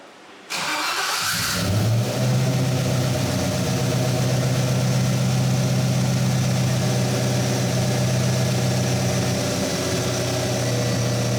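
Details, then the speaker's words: BMW E46 with LS V8, after diagnosing a startup noise: brief crank, fires and settles into steady, even V8 idle with no squeal or knock; normal start, running a little rich. "got her going sounds good just pulling some fuel out it's running a little rich"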